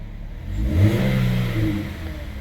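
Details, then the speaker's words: 2009 Chevy HHR 2.4L, found out of oil from a failed PCV system, with stuck cam actuators, after refilling oil: engine blips up smoothly and settles, clean even pull with no tapping once oil reached the cam actuators and air was purged. "Got oil up in that cam. Everything's working. Got the air out of it."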